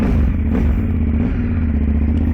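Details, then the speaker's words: 2010 KTM SMT 990 75-degree V-twin, tuned, with Rottweiler intake and valve checks done, just after startup: deep, even, loping rumble settling to idle through a loud aftermarket exhaust with no knocks or rattles; healthy idle. "she's got a good good Rumble to it man when you start it"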